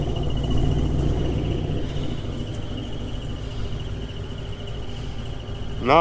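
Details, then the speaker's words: GMC 2500 Vortec V8 engine, warm: a thin, steady high squeak from inside the engine, heard via listening stick near the bell housing, follows engine speed and goes away when revved; not the belts or alternator, cause not yet known. "as you drive the truck it doesn't get a whole whole bunch louder but it goes with the speed of the engine but if i rev it up it will go away"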